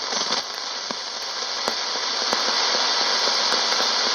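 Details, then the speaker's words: Soviet SOKOL-4 multiband portable radio on first power-up, low band: steady hiss with sharp regular clicks about four a second; interference picked up from a smartphone close by. "Yeah, it picks up my phone. That clicking comes from the smartphone. It tries to pick up something"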